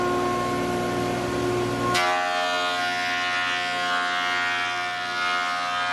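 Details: Large used planer planing dry English walnut, dust extraction not yet hooked up: steady motor hum with a sharp onset at two seconds as the board hits the cutter, then an even cutting roar; works fine.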